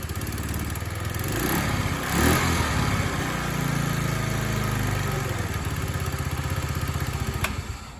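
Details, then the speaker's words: TaoTao 50 Chinese scooter, small two-stroke, throttle linkage and carburetor not yet dialed in: uneven buzz rising and sagging with throttle blips, never holding idle; rough running, stalls without throttle. "Got to baby the throttle a little bit because she doesn't want to stay running."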